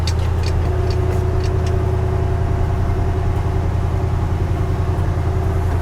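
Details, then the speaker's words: 1968 Ford F100, 360ci V8, after replacing cracked spark plugs: engine fires right up and settles into a steady, even low rumble; the earlier ticking/arcing from the plug boot is gone, clean healthy idle. "Kind of hard to hear, but before we were having that spark happen in here, and it's not spark, you know, it was a ticking sound, right? And we're not getting that sound anymore."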